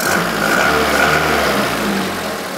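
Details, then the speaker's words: Renault Twingo D7F petrol engine at idle, just after clearing catalyst and lambda sensor fault codes: slightly uneven, lumpy beat; owner suspects an ignition problem on one cylinder, before replacing plugs, leads and coil; rough idle. "Bon, ça tourne, hein. Pas terrible, mais ça tourne, quoi."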